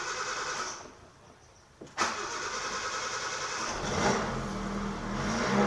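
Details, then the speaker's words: Blue Suzuki Katana without thermostat, cold start before driving, carburettor setting already stable; starter cranks briefly, catches in about two seconds, settles to steady slightly uneven cold idle; normal cold start. "mobil ini kedua-duanya saat kondisi dingin, belum jalan ya lor. Ini sudah untuk settingan karbonnya ini sudah stabil loh, walaupun mobil ini keadaan dingin loh."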